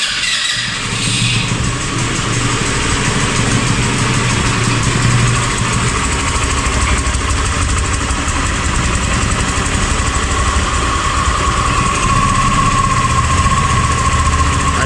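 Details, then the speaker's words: 2019 Italika DS 150-G motorcycle, near new, owner complains it stalls and gives black smoke: uneven, lumpy idle with the beat hesitating and dipping. Misfire and stumbling at idle. "a fallar a inmensa fallar está fallando más su proyecto demasiado se podría decir que a bajas"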